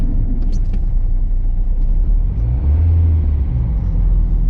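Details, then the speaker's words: Citroen C3 1.4 HDi diesel, old part-exchange car, pulling in first gear: revs climb with a deep drone but the car barely moves; clutch slipping badly, gearbox also whining, wheel bearing suspected bad. "The fact that I am barely moving. The clutch is absolutely knackered."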